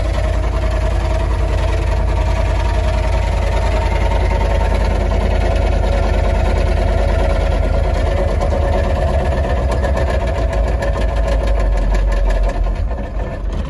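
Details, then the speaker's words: Military Humvee diesel, used for plowing snow with almost no oil pressure, now low on power: a heavy low knock about three per second under a deep idle, rod knock. "i think it's got mad rod knock dude it almost sounds like nah it has to be rot knock the engine's right there"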